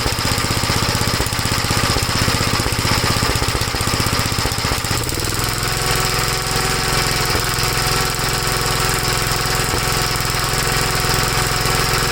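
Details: 1956 Gravely L single-cylinder after head gasket replacement and valve inspection: fast thumping then dropping to slower idle, no longer stalling from high speed to idle but still popping; misfire popping, cause undetermined.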